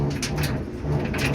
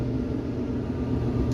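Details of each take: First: Samsung dryer DV45H7000EWA2 running: a low, uneven, weird rumble, pointing to the idler pulley and drum rollers, fixed by replacing the idler pulley and drum rollers. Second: Samsung DV45H7000EWA2 dryer after replacing the idler pulley and drum rollers, running empty on normal cycle: steady low drum rumble with no squeak, scrape or rubbing; smooth, healthy operation.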